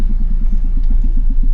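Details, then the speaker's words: Ford Escape with four-cylinder engine, HVAC fan on setting four: low throbbing whoop-whoop pulse, about eight beats a second, as blower slowly winds down to virtually no airflow. "Fan is set on four and it's just slowly kind of winding down and I hear like aoo noise and now we have virtually no air flow."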